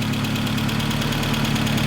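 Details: 1988 Volkswagen Scirocco 16 valve, high mileage, at idle: light, fast ticking rides over a steady idle and keeps pace with engine speed; lifters sound a little loud, suspected wear from mileage, not confirmed.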